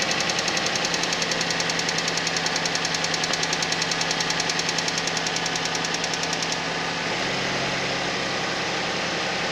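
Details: Suzuki Vitara at cold idle: steady sharp ticking knock, roughly three and a half per second, riding evenly over the engine; cause unclear.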